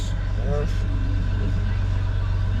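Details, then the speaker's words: Jeep Wrangler/Gladiator EcoDiesel started after replacing the main battery and deleting the failed aux battery. Steady, smooth low diesel idle rumble with no stumbling; battery voltage good, no check engine lights. "Start it up. Battery voltage is good. No check engine lights."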